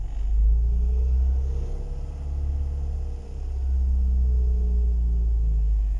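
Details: 2005 first-generation Toyota Vios after replacing valve cover gasket and spark plug, heard from inside the interior at start; low smooth steady rumble with a slight dip midway, no knocks or ticks, normal idle.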